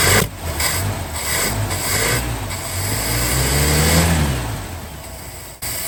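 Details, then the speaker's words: 1961 DeSoto revived after sitting for decades, now getting fuel: lumpy, uneven running with irregular pops as revs rise and fall; rough running blamed on points adjustment/ignition timing, but it now runs. "I'm pretty sure It's not running the nicest. Oh god. Because of a points adjustment/timing issue. But it is now running."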